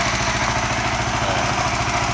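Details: FU 150 fuel-injected motorcycle with an aftermarket Ataka ECU, started and idling at AFR about 12.7–12.8: steady, even single-cylinder idle with a regular low beat, no misses, knocks or rattles; running normally.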